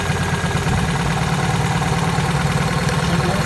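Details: Opel Corsa 1.4 16-valve petrol idling with a lumpy, uneven beat from one misfiring cylinder, caused by a faulty ignition coil, which was replaced.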